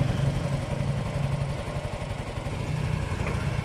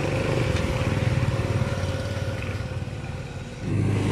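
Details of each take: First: Yamaha Mio i125 scooter after spark plug fix ended no-start: small single-cylinder putters at quick fairly even idle, no stumbling or cutting out; runs normally. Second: Yamaha Mio i125 scooter: engine flares and hangs at high revs instead of dropping back to idle because the throttle cable sticks and doesn't return; throttle cable to be replaced.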